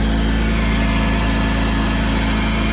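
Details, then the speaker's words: 2005 Porsche Boxster S 987 after new air filter, air-oil separator and intake cleaning: even, steady idle with smooth low rumble, no knocks, ticks or misses; runs cleanly, less smoke than before. "I don't see any issues. I don't hear any issues."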